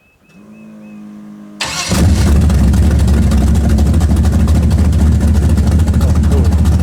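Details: Camaro with mufflers, still loud: brief starter whir, then catches and settles into deep, steady, even idle with no knocks or misses; normal start and idle.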